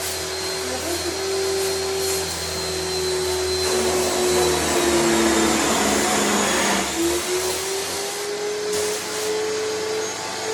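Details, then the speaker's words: Home screen-printing shop pressure washer just switched on: loud motor whine dips and climbs in uneven surges instead of holding steady; owner says air in the line on startup makes it rev like that. "I tend to when I first turn the pressure washer on, there's a lot of air in the system, and so when the air is in the system, it'll rev up like that."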